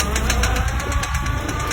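Quick, even clicking, about seven a second, over a low vehicle rumble: a worn CV joint.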